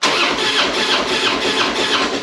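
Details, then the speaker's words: Harley-Davidson Springer compression test, throttle wide open: starter spins fast and light with weak uneven pulses, no firing; rear cylinder reads zero versus 165–170 on front; suspected bent valve, gasket, pushrod or rings. "nothing not getting anything"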